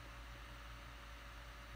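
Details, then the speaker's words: Laptop fan under heavy load while playing video: a steady airy rush with a faint low hum, no rattle or ticking. The fan sounds normal. "Anh nổi tiếng kêu này là mình nghĩ bình thường đó ừ ừ"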